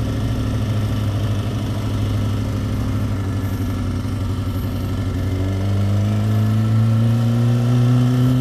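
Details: Motorcycle warming up shortly after its first tune-up with fluids serviced and the chain cleaned and lubed; an even, steady idle that rises slightly in pitch as it warms, no ticks or knocks, smooth and healthy.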